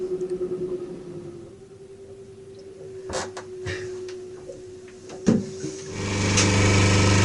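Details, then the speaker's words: Diesel genset on a 13 m cruising catamaran, running and charging after the brush box was replaced for a no-output fault; an AVR fault was also possible. Steady drone and mid-pitch hum with handling knocks on top; it runs evenly. "As you can hear, the genset's running and it is charging, so fingers crossed might address the problem."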